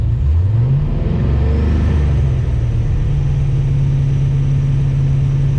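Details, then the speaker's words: LS-swapped Nissan 240SX on Holley Terminator X, hub dyno: foot off throttle, engine flares then holds a steady fast idle near 2000 rpm; idle control hold position set too high, easy tuning fix. "my foot's off the throttle just idling at 2000. so i set this to like 2000 rpm you see it comes back down so that means we have our ic hold position too high"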